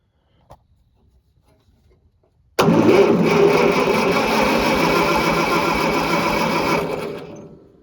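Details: Farmall Cub 140 four-cylinder tractor sitting five years, spark confirmed, carburettor leaking gas: steady starter cranking about two and a half beats a second for four seconds, engine never catches; cranks but no start.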